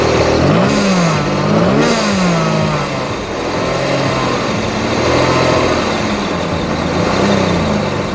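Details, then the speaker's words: Supercharged BMW M50B20 in a Toyota Corolla T18 drift car, just fitted with B28 injectors: engine blips and settles cleanly with no misfire or rattle, running rich at idle; normal running. "There we have it. Well, seems to run pretty well even with the B28 injectors. Definitely running richer on idle."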